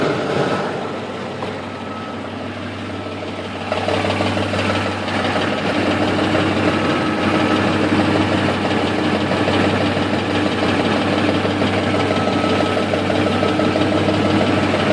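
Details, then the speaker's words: 2004 Ford F150 5.4 3V V8 at cold idle after sitting all day, before repair: busy clattery rattle from the front of the engine, about three beats a second. Loose passenger-side timing chain, cam phasers possibly worn. "Alright, so it sounds like phasers at the front. Especially on passenger side."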